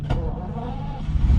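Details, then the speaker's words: Ferrari 365 GT 2+2 with three carburetors restarting after fuel starvation from vapour lock: brief cranking, then a low rumble as it catches once the electric pump refills the float bowls. Engine restart after stalling. "start and now it's just like the fuel pump is just filling it up"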